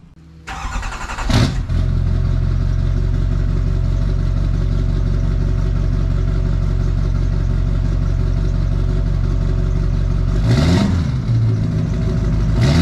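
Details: Duramax diesel first start after installing stainless steel exhaust up-pipes and reconnecting the down pipe: cranks, catches quickly, settles into a steady even idle with a brief rev near the end; sounds healthy.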